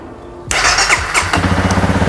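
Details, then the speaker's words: Honda CRF300L motorcycle, first start after fitting a new battery, before reinstalling plastics and seat: brief crank, catches right away and settles into a steady, even idle; normal engine start. "Before I put the bike back together, I'm gonna fire it up and make sure the battery is good to go. That sounds a lot better right off the rip."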